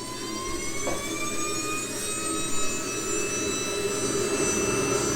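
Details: SWIWIN SW220B micro turbine on test stand, third run with max rpm set to 110,000: clean high whistle climbs smoothly, 3.5-second acceleration, settling at full speed with pump auto-calibrating, about 45.5 lb thrust; normal healthy run.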